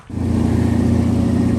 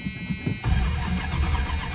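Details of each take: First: Old Chrysler Cordoba, unstarted for two or three months and out of gas, after adding about a gallon of fuel: the engine catches and settles into a steady, even low hum with no misses or knocks. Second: Old Chrysler not started for two to three months: the starter cranks on steadily for seconds without the engine catching. It was out of gas and ran after about a gallon was added.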